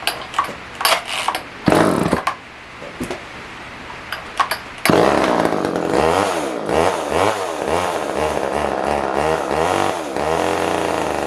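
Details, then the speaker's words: Older Poulan Wood Shark chainsaw: sharp starter pulls, then it catches and surges unevenly, fuel-starved; runs only on choke, which siphons fuel through the venturi, backing the jet out does nothing, owner suspects it needs a carb kit. "what it's doing is when you choke one that way and it gets enough of a suction it can actually Sion fuel through the vuy um from the tank believe it or not"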